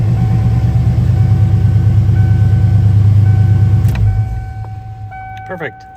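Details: 1995 Ford F-150 Lightning 5.8L V8, first start after fitting a Powermaster XS Torque starter: steady low V8 burble with an even beat around three per second, then winding down as it shuts off; runs smooth and healthy.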